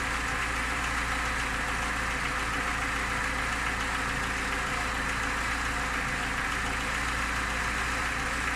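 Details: Lada Niva engine idling steadily with a faint, even tapping over the hum; a knock at idle whose source is not identified.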